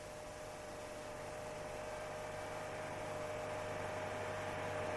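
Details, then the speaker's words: Car whose owner complains of booming at 4200 rpm: engine vibration passes into the exhaust pipe and, if the pipe mount is incorrectly installed, into the body, heard as a steady low boom. "колебания двигателя приводят к вибрациям выхлопной трубы передаются на корпус если неправильно установлена опора трубы начинает вибрировать корпус его вибрации воспринимаются водителем в форме звука или Google"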